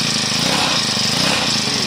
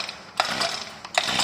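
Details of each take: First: 4-stroke grass trimmer engine after valve clearance adjustment (tight valves caused low compression, stalling and no idle when hot): starts, buzzes smoothly and revs cleanly with no misses or tapping; normal running. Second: New four-stroke lawn mower engine, fueled: two recoil pulls give only a free ratchet whir with no compression thump; no compression, valve clearance checked and set under valve cover.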